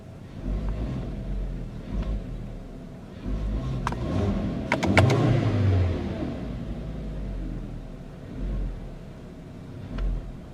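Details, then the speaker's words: 2010 Volkswagen Jetta SportWagen 2.5 SE, revved while parked: deep, bassy, smooth rev climbing and falling evenly with no knocks or rattles; healthy engine. "It's a very bassy sounding engine. It sounds very nice."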